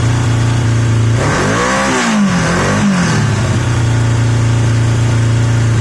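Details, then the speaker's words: Yamaha XJ750 "Mack" after a carb swap using the XJ650's carbs, filmed outdoors in wind; a smooth, steady idle and a clean rev that rises, falls back and settles evenly, the best idle yet, sounding healthy. "I think that's the best idle I've had I'm not entirely sure you're going to hear anything it's so windy it's blowing everything out but that sounds quite"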